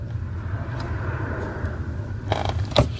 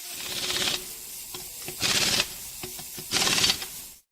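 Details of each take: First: 2003 Infiniti G35 clutch pedal after removing and lubricating the pedal assembly: soft thumps over low engine hum, squeak gone. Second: 2003 Infiniti G35 clutch pedal assembly: three short, scratchy squeaks as the pedal is pressed and released, from dry, unlubricated pedal pivots; fix is lubricating the assembly.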